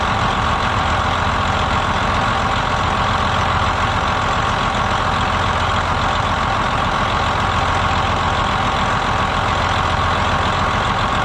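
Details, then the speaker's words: 2007 Freightliner Columbia, Detroit Series 60 diesel, after replacing the bad fan clutch hub: steady, even idle with a low drumming beat and no knocks, squeals or fan roar; the engine runs smoothly. "okay so where the bearings are still you know new and the hub is you know new it would still barely turn over when the engine was running"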